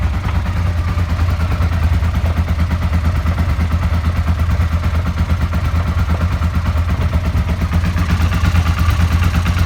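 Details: Suzuki SV650 V-twin running: a steady, hard knock about three times a second laid over the idle, from worn bearing shells; bearing knock.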